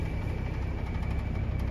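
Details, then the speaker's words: Broan 3-ton packaged gas pack unit with its thermostat calling: only a smooth ECM condenser fan hum, no compressor and contactor not pulled in. A cap tube rub-out lost all the R-410A, about 10 lb. "so the reason the condenser fan was running without the contactor pulled in is because it's an ECM condenser motor"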